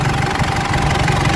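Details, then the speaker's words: Mitsubishi L200 Triton 3.2 diesel after timing chain kit replacement, warm after 22 km drive: even idle clatter with no chain slap or rattle; engine noise fixed, no oil leaks. "Barulho do motor filé. Zerou. Nenhum vazamento de óleo, já conferi aí."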